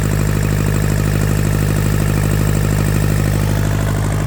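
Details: Yanmar TK486 4-cylinder diesel, all four injectors hooked up, hot grid heater used for cold start: even, steady idle with a regular low thump and clean injector clatter, no misses or knocks; blow-by check shows no pressure from the vent.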